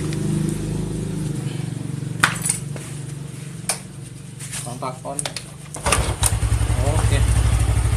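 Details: Carbureted Yamaha Mio scooter after repair of kick-starter pinion rubbing the CVT gear: even low putter with no metallic scraping, CVT now quiet, noise fixed.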